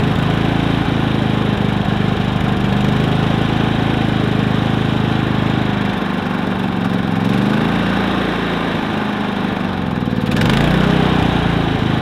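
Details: Predator 3500 inverter generator, 18 hours old, stumbling from a suspected clogged spark arrestor: small engine drones steadily, shifts pitch briefly as speed adjusts, then settles into an even, healthy run.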